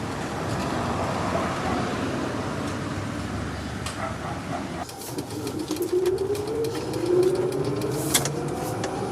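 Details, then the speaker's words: Electric VW Beetle conversion driving: motor whine climbs in pitch over road noise as speed builds toward the top of the power band, dropping back after a gear change; normal motor whine under acceleration. "You can really hear the motor. Yeah, and then that's about it. Then when you switch gears, then it goes back down."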